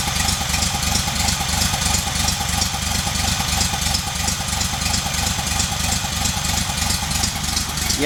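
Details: VW engine idling on a rigged temporary petrol tank, with a leaking fuel pump: a rhythmic "woof woof" thump about three times a second that follows the engine beat. End play was checked fine before; the cause is unknown and the engine must come out again.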